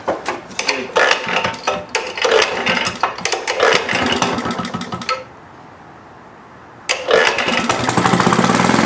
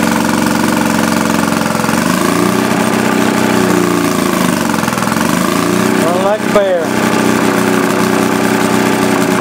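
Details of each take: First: Rare Maytag Multi-Motor twin-cylinder model 72 with WICO magneto, newly rebuilt and first run with a new muffler: uneven popping beat that lurches, drops out and picks up again, hunting and missing; owner suspects it is starving for gas. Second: 1937 Maytag Model 72 twin-cylinder Multi-Motor with WICO magneto, under restoration, earlier starving for gas until refuelled: even, steady twin putter rising and falling cleanly as it's loaded and revved, no misses or knocks; runs healthy.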